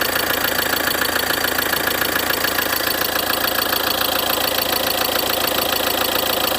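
Steady idle with a regular knock, a bit over two per second, repeating evenly through the run; source in the engine not yet identified.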